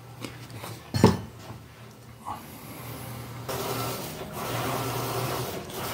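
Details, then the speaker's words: Electrolux LPR17 washing machine under test after replacing the agitation mechanism with an original part (gears suspected stripped): soft steady hum, agitator swishing evenly with no knocking or grinding; the noise is gone. "mostrar para vocês aí ó resolveu o problema tá máquina tá trabalhando aqui tá em teste tá a mesma máquina que não estava falando aí sobre aquele barulho tá a lpr17"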